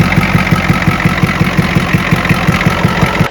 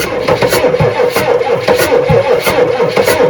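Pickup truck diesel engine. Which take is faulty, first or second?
second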